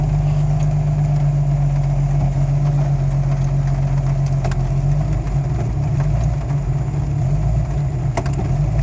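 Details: Jeep Cherokee XJ, 1993 block with 7120 head bored .60 over and a new IAC: low idle with an uneven, loping beat that stumbles every few seconds; rough idle, owner suspects the ripped downstream O2 sensor wiring.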